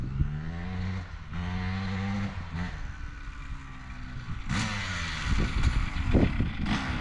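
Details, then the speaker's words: 2003 Honda CR250R two-stroke dirt bike on test ride, low on fuel: pulls cleanly through low revs, then note flattens and stumbles, bogging on the top end; owner suspects maladjusted electronic power valve or engine loaded up, unconfirmed. "All right, so that was actually a pretty good test ride other than it bogging on the top end."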